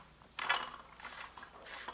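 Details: Barbell sleeve turned by hand after spraying lubricant into it and letting it soak: short bursts of dry metallic whirring and clicking; the bushing still sounds somewhat stiff. Stiff sleeve rotation.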